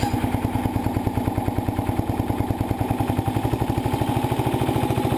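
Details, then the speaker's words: 1975 Sears Suburban ST16 tractor single-cylinder, started on battery after starter brush refurbishment, no choke: even idle and rev with only a very slight sound, no clear valve tick; valvetrain quiet and healthy. "Oh, the valves are so quiet. Oh, I can't. There's just a very slight little sound."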